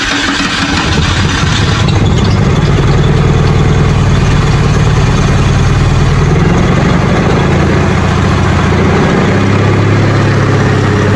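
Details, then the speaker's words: 1984 Holden VK Commodore after coil was unbolted and unplugged then refitted: loud, lumpy uneven running that never settles, blowing heavy smoke; rough running, owner thinks it sounds like it's running backwards. "No, it sounds like it's not running on. It sounds like it's running backwards to me."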